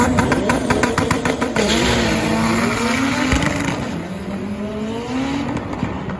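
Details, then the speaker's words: Boosted Acura Integra with factory distributor at the drag strip, in-car: engine climbs in pitch at full throttle with choppy sputtering pulses, then eases after a lift; suspected ignition breakup at high rpm under boost, distributor limit. "um yeah as you can see on that video the in-car footage you can kind of hear it sputtering hold on scar coming you can kind of hear it you know sputtering climbing the rpm"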